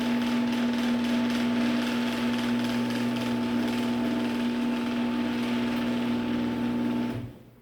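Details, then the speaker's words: Genie screw-drive garage door opener run with the door arm unhooked: smooth even motor hum and steady whir, no grinding or strain, louder going down; quiet and healthy. "yeah this is honestly it's got to be the quietest genie screwdrive i've ever heard"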